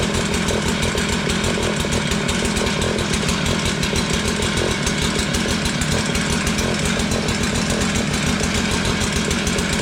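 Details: Tecumseh two-stroke Mantis-style tiller, a curb find revived from a no-start, steady rapid buzzy beat at even speed with no misses or knocks; running healthy, though the throttle is not yet responding before the carburetor is adjusted.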